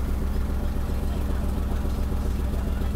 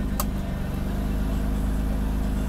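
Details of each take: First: Mercedes-Benz W126 300SEL, starts only in N, before repair: uneven lumpy idle lurching on throttle blips, shaking heavily, weak acceleration, strong gasoline smell; suspected fuel distributor or high-pressure line, later fuel distributor and injectors replaced. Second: Mercedes-Benz W126 300SEL after overhaul, cold engine at idle with the air conditioning switched back on. Low, steady idle that barely changes under the AC load, with no dip or hunting, so the idle motor is working normally. Normal idle with AC load.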